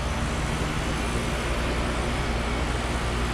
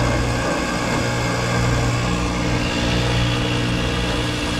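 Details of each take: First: Carrier mini split outdoor unit after compressor replacement, condenser fan speed-controlled: steady even hum with constant fan rush, no knocking, rattling or squeal; normal running, cooling well. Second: Carrier mini split compressor running with internals blown, high and suction sides barely changing; harsh churning grind like a garbage disposal over a steady hum, scroll heard spinning; compressor is shot, to be replaced.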